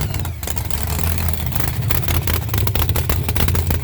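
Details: Cold-day start of a boosted V8 hot rod with intercooler, after top-end work, new distributor and wires, and newly installed headers; a rough, lumpy rumble rising and falling with throttle, with handling clatter nearby. Normal cold start and revving.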